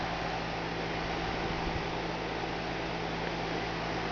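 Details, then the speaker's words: Goodman 4-ton 13 SEER heat pump, about 10 years old, running in heat mode with iced coil clogged by pine straw and grass: even hiss over steady low hum, no knock or rattle; compressor sounds good though unit shakes, possibly unbalanced. "The compressor sounds good, but you could see it. The whole thing is shaking."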